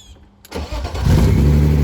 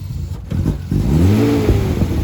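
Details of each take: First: 1990s BMW E36 manual first start with clutch safety switch unplugged: starter engages and engine fires straight away, settling into a steady, even idle with no stumble; normal start. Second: BMW E36 first start after long storage, smoking from sitting: engine sputters and surges unevenly, revs rising and sagging, won't hold idle on its own because of a hole in the intake; unstable idle from intake air leak.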